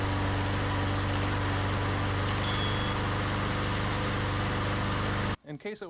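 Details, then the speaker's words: MTD Yard Machines mower, Briggs and Stratton engine, after clearing a clogged plastic carburetor with wire brush bristles: steady, even single-cylinder putter at constant speed with no misses or surging; running normally. "we put those wire brush bristles through all the holes cleared it out that's what it took now it runs great"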